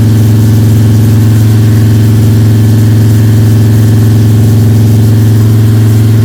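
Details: Freshly built 302 Cleveland V8 with a Holley Sniper and new electronic distributor, timing around 31 degrees, during cam break-in: strong, steady fast idle, smooth even drone with no ticking or rattles. The cam is running and the engine sounds sweet.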